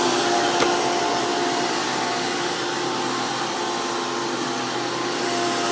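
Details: Hoover PowerMax II U5246-940 upright vacuum (2002), direct-air design with 12 amp motor, high RPM and 20-blade fan impeller, after motor work: loud, steady high-pitched motor roar with even airflow rush, no wavering. Normal running.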